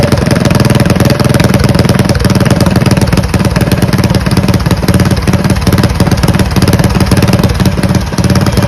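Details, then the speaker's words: Mega Moto 212 minibike with modified Predator Hemi engine and Mikuni carburetor, after idle-speed adjustment following stalling: fast, even firing pulses at steady idle with no misses, surges or knocks. "Finally got it running. That's a huge relief."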